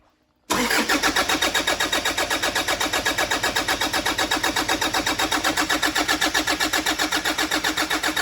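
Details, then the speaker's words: 2013 Toyota Prado 150 at over 300,000 km with a brand-new long motor and turbo, freshly charged batteries: steady starter cranking about four pulses a second that never fires; cranks but won't start because one plug was left disconnected. "Well, that didn't go to plan. So, let's uh we haven't had that one before."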